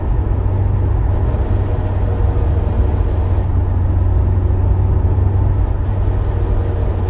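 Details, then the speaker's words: Mitsubishi Lancer Evo 6 TME at about 50 mph in fourth gear, lifting off the throttle: a dense low grinding rattle from the front driveline area over road rumble, which stops when the throttle is reapplied; it began after driveline oil servicing, cause unfound. "i had a d cell rattle and grinding sound that came when you were driving say 50 miles an hour in fourth gear and you let off the gas and you hear like this like sound coming from the front drive line area"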